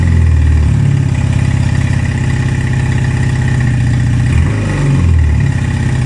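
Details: 1978 Honda CB250 Twin after carb work: catches and revs up cleanly, no longer falling flat on throttle, then drops to an uneven, hunting idle; runs but not perfectly, carbs still need tuning and new jets.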